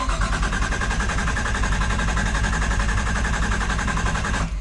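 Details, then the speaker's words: Nissan Silvia S14 RB25DET swap, in neutral after a new oil cooler install: several seconds of even starter cranking at about 3–4 turns a second with no firing, deliberately priming oil pressure before first start. "Take 2 of priming. So just hold it there for a few seconds, like that. Stop, let the starter relax"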